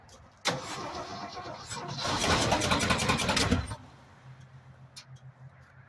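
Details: 1965 Ford F-250 pickup that sat five years, fuel from a gas can, choke being adjusted: starter churns the engine over at about four compressions a second but it never fires; cranks without catching.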